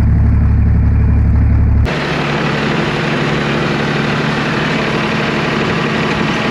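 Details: John Deere 350B crawler dozer diesel after a cold start: steady idle with even chug about four beats a second, no misses or knocks; sounds healthy.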